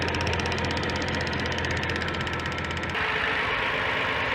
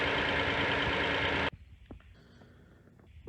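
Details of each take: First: 2007 Hyundai Santa Fe Limited 3.3 L V6 at start-up: a light, quick ticking about four times a second from a faulty purge control valve. Unplugging the valve stops it, confirming the valve is bad. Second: 2007 Hyundai Santa Fe Limited 3.3 L at idle: the loud rushing hiss cuts out, leaving a quiet, even idle with only a few faint scattered ticks, after the bad generic purge control valve was replaced with an OEM Hyundai one; ticking stopped.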